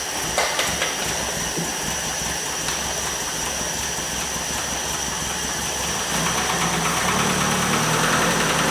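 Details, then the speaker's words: 1973 Opel 1900 (Ascona) abandoned for years, first start after ignition work on six-volt points with resistor wires: the engine fires and keeps running on its own with a steady, even beat that picks up slightly near the end. "hey chefs sounds good i don't know i mean that would run"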